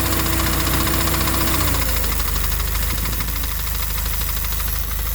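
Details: FA20DIT engine idling with the AC on: a regular low knock around 220 per minute, cause unknown.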